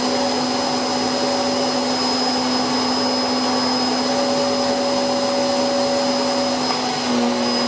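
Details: Hoover Whirlwind Pet WHS2102 001, a 2100W bagless upright from 2013 with a refitted belt, cleaning carpet: an even high motor whine over a constant airflow hiss, pitch steady, with an aggressive brush roll; normal running.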